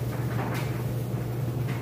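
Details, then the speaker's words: Whirlpool electric dryer on timed dry: a low even hum with a steady drum rumble and no thumps, squeals or scraping, smooth normal operation with plenty of heat. "you can hear it sounds great nice smooth operation and"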